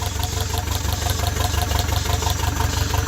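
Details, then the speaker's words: Toyota 22RET engine, finally running: lumpy, uneven idle with a rhythmic stumble; misfire on cylinder #2 while 1, 3, 4 check okay. "Still a misfire. Just number 2."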